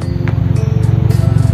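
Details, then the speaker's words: 2009 Honda City i-VTEC after tune-up and throttle body service, warm idle: steady, smooth low drone with no ticking or hunting; earlier unstable rpm and intermittent "tek" when warm resolved, no warning lights on; normal idle. "Langsamnya ya didengar itu cukup halus dan stabil. Indikator juga nggak ada yang nyala, memang dari awal juga nggak ada indikator yang aneh-aneh."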